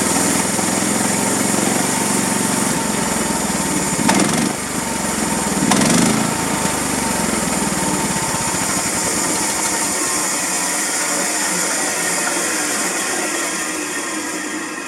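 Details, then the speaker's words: 13.5 HP Briggs engine on FrontierMill, not warmed up, choke likely needed, after carb clean with compressed air and spray: chugs, swells and dips, sags unevenly trying to idle; idle surge from blocked carburetor idle passage. "It's not really been warmed up, so I'm probably going to have to choke it, and it'll probably sputter a little bit. The main thing is it needs to idle when I let off the throttle."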